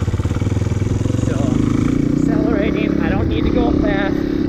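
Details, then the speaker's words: Dirt bike casually ridden, shifted up to third gear, held in the low-to-mid rpm range without accelerating: steady, even exhaust note with no strain or misses, rpm properly matched to speed. "let off shift up to third gear and you can hear the rpm is never super high because i don't need to accelerate i just want to be in the low to mid rpm range"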